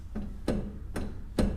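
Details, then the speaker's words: 1960 Chevrolet Bel Air lowrider, right front wheel rocked by hand: three dull clunks about half a second apart as the wheel moves about an inch; a worn-out upper ball joint, and a wheel bearing noise is also suspected. "no lie that thing moves like an inch I think oh yeah 90% of that is upper ball joint I'm in the upper ball joint is blown out of this thing"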